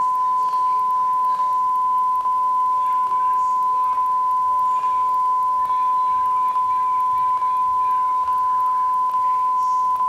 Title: WSOD & Clicking Sound At The End Of Silver Streak 1995 VHS